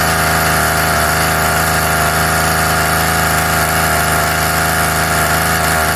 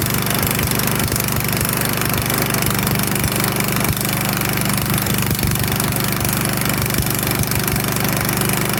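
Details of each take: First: Craftsman Mini Tiller 536.797500 small two-stroke, after repair and tuning: loud, steady buzzing at constant pitch with no surging or misfire; runs clean. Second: Sears/Craftsman 22-inch self-propelled push mower (917.378170): small single-cylinder buzzes steadily and fairly fast, then abruptly cuts out; the carburetor needle leaked and quit working, taken back apart to clean.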